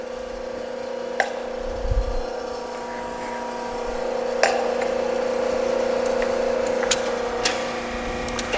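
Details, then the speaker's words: Used LVD JS25-13 hydraulic shear (1/4" x 13'), full stroke, not leveled or bolted down: quiet steady pump hum with a few light clicks, no grinding or straining; runs smoothly. "Now, of course, this machine is not leveled, not bolted down, but you can hear how quiet everything is, running really nice and smooth."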